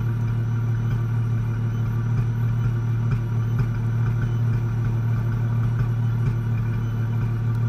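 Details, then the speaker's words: 2004 Ford Mustang 3.8L V6 automatic, idling a minute or two after start: faint uneven pops about every second that shake the car, worsening over time; a misfire fixed by replacing a faulty-out-of-box SMP T-Series ignition coil pack. "popping noise. Can't seem to figure it out. Now it's starting to do it a lot more. And every time it pops, the car shakes."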